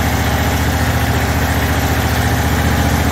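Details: John Deere QuikTrak 652R stander mower, first start right after a starter replacement: steady, even low putter at idle, firing smooth and regular with no knocks or misses. Normal healthy idle.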